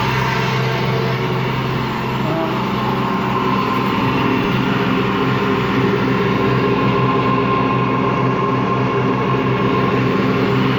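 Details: Washing machine run empty on rinse and spin: steady low growl with droning hum, no knocking; drum not loose, owner suspects worn motor or drum bearings, spin not reaching full speed at the end.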